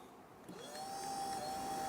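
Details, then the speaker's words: Nearly 25-year-old German car with ABS fault near 40 km/h: ABS pre-charge pump powered directly with a Power Probe spins to a steady high whine and runs evenly. "I want to see if the pump actually works at all by supplying it with a powering ground"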